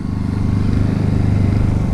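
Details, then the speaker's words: Honda generator in eco mode powering trailer, cabin and fridge at light load; low, even putter at steady slow speed with regular firing pulses, no surging or knocks; normal idle. "It's all running, and the Honda generator is still only running in eco mode, which is awesome."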